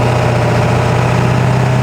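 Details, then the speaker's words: 7.3L Powerstroke diesel with 175cc/30% Unlimited Diesel injectors on Gearhead number six tune, driving at quarter to half throttle: deep, even drone with a slight pulse, no miss or knock, pulls hard. Normal light-throttle acceleration. "that's quarter throttle half throttle about half throttle there I didn't really go much more than that it it rips pretty well"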